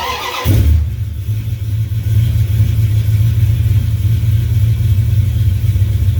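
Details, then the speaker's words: 1970 Duster 340 V8, home-built, after new pushrods were fitted to cure clatter and ticking; it cold-starts after a short crank into a steady deep idle with no clatter, though the owner feels it lacks power. "It sounds good and it runs good, but I feel like it should have more."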